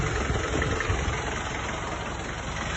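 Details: 1994 Isuzu Panther diesel, first owner, 350,000 km, never overhauled, before the overhaul: clattery idle with an uneven, limping beat and no steady rhythm, with only mild smoke; one cylinder misfiring.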